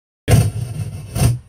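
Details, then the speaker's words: Behringer PMX2000 mixer bought used, channel 3: two loud rough bursts of scratchy noise and boomy rumble from the speakers as its potentiometer crackles; other channels work, pot to be cleaned. "Słuchajcie, wszystko jest git, tylko trójeczka, potencjometr jeszcze trzeszczy."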